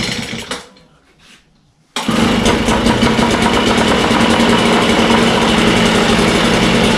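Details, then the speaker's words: Echo 403T two-stroke with replacement Zama carburetor: rough, buzzy idle barely above stalling while the low idle screw is turned down to the shut-off point, before backing off a quarter turn. "hear now it went lower i'm playing with a lower adjustment that's about right where it would shut off"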